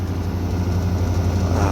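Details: Daikin 1-star air conditioner FTKF09XV2S outdoor unit after reinstallation, vacuum and 360 g R32 charge: smooth, steady low hum with an even fan whoosh, no rattles or surging; running normally.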